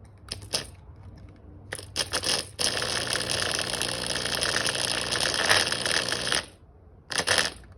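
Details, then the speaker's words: LG direct drive washer drain pump bench-tested on 120 V live wires, winding 10.9 ohms against 11.6: after a few clicks it runs with a harsh, crunchy, gritty grinding and is weak; bearings completely gone. "so if you can hear that it sounds terrible I would say that the bearings it sounds very crunchy I would say that the bearings are completely gone"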